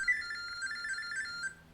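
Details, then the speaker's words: LG NeoChef MS4266OBS microwave, stop button held for Smart Diagnosis with phone beside it: quick run of high chirpy beeps jumping between two close pitches for about 1.5 seconds; diagnostic data tones. "keep holding it until you see the actual numbers counting down so here we go you hear the beeping sound"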